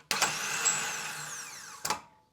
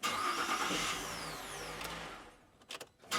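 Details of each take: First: 2005 VZ Commodore V6 at about 270,000 km with a no-crank, electrical smell and white smoke, starter run by bypassing the melted solenoid: a high whine spins up with a rough, uneven edge, then winds down. The starter is worn, needs full replacement. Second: 2005 VZ Commodore V6 after a new starter was fitted, following a no-crank fault with a burnt solenoid and loose battery terminals: three clean starts, each cranking briskly and catching straight away with no clicking; repair successful.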